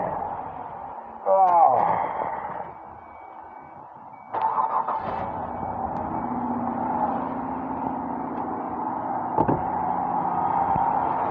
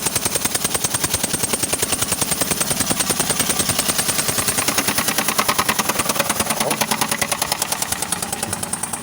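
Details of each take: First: 2004 Ford Escape after repair with new spark plugs, coil packs refitted and intake reassembled: starter grinds briefly, engine catches and settles to smooth even idle; earlier knock on cylinder two gone. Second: 2004 Ford Escape, cold start, fuel smell: sharp even popping about three beats a second over idle from cylinder two; owner first suspected injector o-ring, then a camshaft issue.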